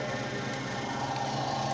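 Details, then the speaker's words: PlayStation 2 optical drive after fixing intermittent gear noise, laser not yet adjusted and still not reading discs: quiet even whir with faint steady tone, no clicking or grinding; spins normally. "e Olha aquele toque não lê já gira normal não faz barulho mais"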